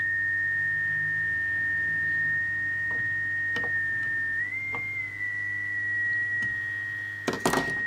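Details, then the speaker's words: Mid-1930s vacuum tube radio, IF cans tuned near 455 kHz: steady high whistle near one pitch, wavering briefly over a low hum; owner suspects failing capacitors inside the IF cans, possibly silver mica disease. "so it sounds like the capacitors in these things are bad that's what that sounds like"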